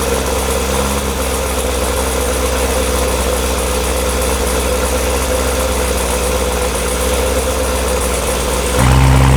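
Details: Cold start of a newly built LT1 Corvette C7 engine with Stage 1 Brian Tooley cam, before tuning: steady slightly loping idle, light background hum, brief rev rise; healthy cammed V8.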